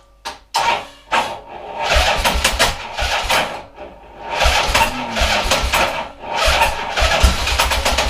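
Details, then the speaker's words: 1979 Harley-Davidson AMF Sportster pushrod V-twin during a rebuild, running on starting fluid: catches in uneven surges that swell and fade every second or two, lumpy and won't hold a steady idle. "Alright, let me try some more. It's a bit lumpy. Well, it's supposed to be in a push rod engine."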